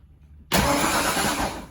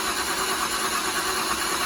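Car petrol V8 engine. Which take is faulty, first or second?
second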